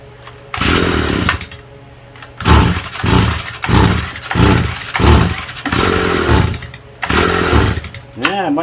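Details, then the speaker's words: Stihl FS45 string trimmer with rusty carburetor bowl, run at full throttle while low and high speed screws are adjusted; engine revs up and drops back in repeated bursts, won't hold steady speed, possibly lean; still hard starting, jets to be cleaned next. "Make sure she's all good cuz it's still got a hard start."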